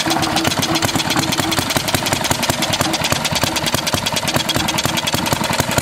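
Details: 1936 Briggs & Stratton WM washing-machine engine, first start before valve job and electronic ignition upgrade: rapid single-cylinder popping with uneven gaps where firing strokes drop out; running but missing, owner suspects the points.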